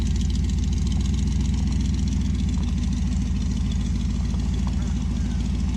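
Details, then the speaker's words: 1966 Dodge Dart GT 273 V8 on its stock-sounding street cam with a 650 carb, before a solid-cam swap, after sitting a while. A deep, steady burble at idle with even low pulses and no knocks or ticks: normal idle. "been a while since we fired the old dart but fires up every single time never misses a lick it just sounds like stock boring crappiness and uh we're gonna fix that"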